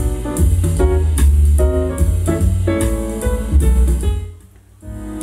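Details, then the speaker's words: Vintage Marantz stereo receiver on aux input: jazz plays clean and full from each speaker, no distortion; audio output normal, though tone controls show static from dirty switches. "okay we have sound coming from each speaker and it sounds good it doesn't sound distorted or"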